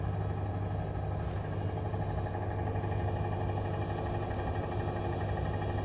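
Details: New Bosch Serie 4 EcoSilence washer, technician-installed with drum transit screws removed, spin cycle: loud steady low rumbling drone from drum/spindle while brushless motor stays quiet; occurs 400–1400 rpm with or without laundry, cause unknown.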